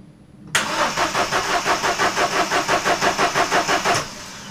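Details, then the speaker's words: 2013 Vauxhall Corsa D after water pump pulley bolt fix and drive belt replacement; steady starter cranking about three beats a second with no firing — crank, no start; suspected airflow meter disturbed during the work, unconfirmed, never fixed. "there we go still got the problem"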